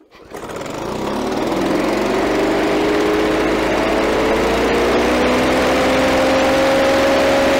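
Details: Victa Power Torque VE40 two-stroke mower after replacing carburettor main jet (engine was flooded at first): catches and settles into a steady even note that climbs smoothly and holds; runs cleanly.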